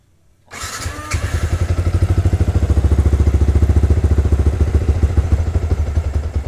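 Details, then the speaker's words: Motorcycle on Juken 5 ECU, base map set leaner (to 2) while tuning idle: starter cranks with even chugs near 3.5 per second for about six seconds but it never catches; too little fuel, no-start from lean base map. "Oke, ya. Mesinnya ternyata tidak bisa menyala. Mesinnya ternyata tidak bisa menyala. Jadi, base map-nya ini terlalu kecil ya."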